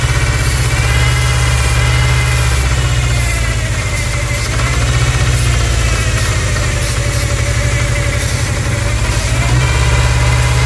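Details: 1999 Ford Ranger 2.5L at idle with a massive vacuum leak; idle hunts slightly up and down with a steady rumble and no clear hiss.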